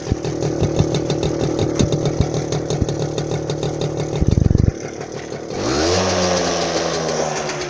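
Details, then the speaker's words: Manet Korado/Puch-type two-stroke moped: choppy popping stops as the louder bike with the exhaust leak is shut off, leaving a smooth, soft, steady buzz. Whisper-quiet normal idle with no leak puffing. "So there we are, here's the loud one gone. that thing. Listen to that whisper quiet beast."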